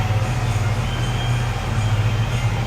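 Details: 2019 Chevy Equinox 1.5 with crank no start, codes and bulletin pointing to the camshaft reluctor, after the camshaft repair: steady low engine hum with an even, unbroken rhythm; starts and runs smoothly.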